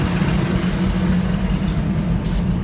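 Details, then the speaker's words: 1984 Toyota FJ60 2F, de-smogged, OEM exhaust manifold, 38mm carb, points ignition, timed earlier with vacuum leaks: steady, even idle just below 1000 rpm with no misses or knocks; clean idle, may need retiming. "of course i was trying to time it with vacuum leaks and we got an idle just below a thousand rpm"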